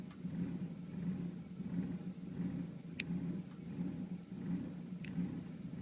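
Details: 1991 Volvo 740 turbo at idle, quiet but surging and dipping roughly every second; cured by swapping the radio suppression relay with the cooling fan relay, confirming the faulty radio suppression relay as the cause.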